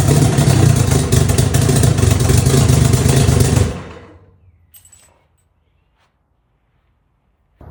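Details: Outboard with freshly resealed carburetor bowls (new gaskets), fed from a test gas can, lower unit disassembled, starts and holds a steady, even idle, then shuts off cleanly with no misfire; bowls not leaking, runs normally.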